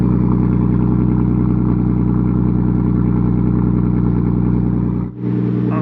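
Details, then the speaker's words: Nissan R34 Skyline GT-T, newly tuned to over 450 bhp, first cold start after 5 months in the workshop; steady even idle with a deep regular burble, no misses or knocks, warming up healthy. "I have missed that sound, guys. I have missed that sound."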